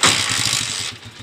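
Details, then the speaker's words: Honda TMX125 Alpha motorcycle after 175cc conversion with original timing gear, carburetor cleaned and kick spring issue addressed: starts quickly with a hissy burst, then settles into a soft, even low putter with no knocks or misses; normal start and idle. "Yun oh. Napaka-smooth. Yan oh, original na timing gear yan mga kabro."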